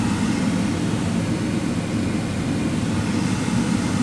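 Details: 2015 Ford Fiesta SE at idle with the AC on, just after a cabin air filter change: steady, even low rush of air with no rattle, ticking or squeal; the blower runs smoothly and nothing blows out of the vents.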